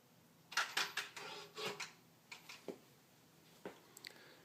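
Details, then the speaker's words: 2013 Ford Focus, parked with ignition off after opening and shutting the door: soft clicks then a short electric whir, cycling about every 8 seconds some 25 times, from the engine bay's right side; dealer called it normal; later fixed per TSB 13-4-18. "walk up to the car open the door shut the door and it starts doing this little dance every time about every 8 seconds or so it'll continue to do this until it gives up usually around 25 times later 2 and a half minutes later"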